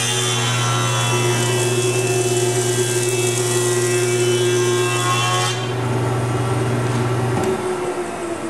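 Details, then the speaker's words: Carbide-head jointer, final pass on a board with push stick: even, unbroken cutting roar over steady motor hum through the whole pass, then board clears; consistent sound means the face is flat and done. "we made the pass, it sounded consistent. It sounded done. It generally is."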